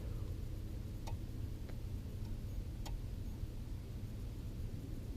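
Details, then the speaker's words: Ford Crown Victoria turn signal while driving, with faulty fuse panel blinker fuse connection: a few faint, irregularly spaced clicks over road rumble, flasher ticking erratically and cutting out; fuse panel suspected. "even we're going like this I can hear it bug it out but oh yeah well I gotta mess with that now but as you can see that's the issue"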